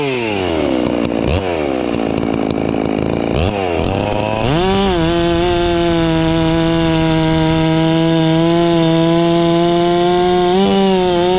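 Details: Ported Farmertec MS660 two-stroke chainsaw, newly tuned with extra muffler port and advanced timing, feeling snappier: quick revs, then a strong steady buzz holding pitch through a hollow-centered log without bogging; normal running under load.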